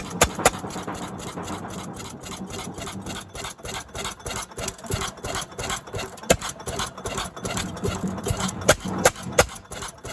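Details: Barn-find 1929 Fairbanks-Morse 7.5 hp engine, 5.75 in bore by 8 in stroke, clutch pulley, first start after years sitting: sharp irregular bangs about every second over light clatter as governor skips firings, hit-and-miss; normal running.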